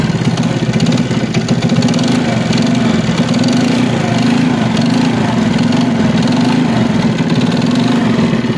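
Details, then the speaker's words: China CD70 motorcycle single-cylinder engine at fast idle. A steady rapid tapping knock over a rough, noisy engine note; a worn big-end bearing, and the connecting rod needs replacing. "इसका जो आवाज आ रहा है वह begin खराब होने की वजह से यह आवाज आ रहा है इसका जो बिगिन है वह खराब है"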